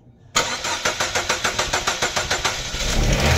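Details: Chevrolet Aveo that would not start: after the fuel pump assembly was repaired, about a dozen even cranking pulses, roughly four a second, then the engine catches cleanly and settles into a steady idle.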